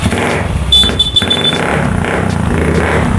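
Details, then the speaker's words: Old carbureted Honda Vario 110 scooter that stalled and would not start, now running after the automatic starter switch was replaced; the engine catches and settles into a steady, even run with no misfire or knock, problem traced to a weak battery. "oke teman-teman Bisa denger ya motornya sudah hidup ya jadi permasalahannya disini teman-temannya untuk motor ini adalah aki yang lemah Ya"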